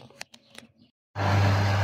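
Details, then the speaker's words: Mouv'spa hot tub after pump purge and cap refitted, restarted: clicks then steady even low pump hum, no gurgle or rattle; running properly. "Et voilà, le spa est reparti."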